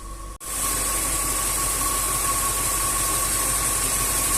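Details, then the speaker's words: Range Rover 4.2 supercharged V8 idling at 700 rpm: steady, even hum with a faint constant whine and no supercharger knock, so the engine sounds healthy. "10 секунд работает 700 оборотов"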